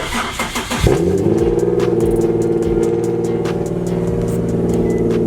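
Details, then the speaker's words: Nissan 370Z after a DIY hose-clamp fix for an exhaust rattle that had appeared at idle after cold start. It now starts and settles into a steady, even exhaust note with no rattle or buzz. "we should hear a regular normal 21st century exhaust sound look at the cues yes yes yes yes normal exhaust sound"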